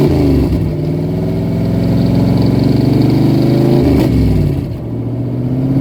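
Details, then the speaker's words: 1977 AMC Matador sedan V8, 46,333 miles, no muffler: deep, raw, unmuffled V8 roar rising and falling with throttle blips. Loud exhaust from the missing muffler. "tell me that does not sound amazing that just sounds awesome"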